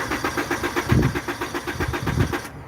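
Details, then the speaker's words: Honda Accord with history of randomly not starting, alternator recently replaced: cranks steadily about eight pulses a second but never fires; wrong key (CR-V key) used, so the immobilizer security system blocks starting. "she's using the crv key in the accord so it happens because all the keys look alike and basically it'll a honda will let you use any key to crank it"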